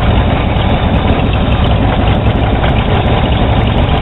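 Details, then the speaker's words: 1982 Chevy V8 truck after a warranty alternator replacement, charging 14.5 volts: deep, steady even idle with no knocks, whines or squeals, normal idle before disconnecting the negative battery terminal. "Good. So it's showing 14.5 volts now. I'm going to disconnect the negative battery terminal and see if it stays running."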